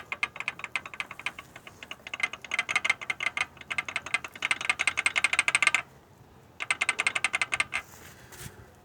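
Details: Peugeot 206 1.0 16-valve with a "tec-tec" knock that seems to come from the top of the engine. The loose connecting rod is rocked by hand, giving rapid dry clacks about three a second; worn rod bearings create play.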